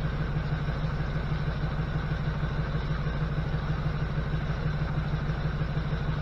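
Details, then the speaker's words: 1979 GMC C15 with LS swap, P0300 misfire code, after replacing three injectors: steady, even V8 idle with a smooth low burble around three beats a second, running on all eight cylinders; normal idle. "Oh yeah. That's how she's supposed to sound. Now that's running on all eight."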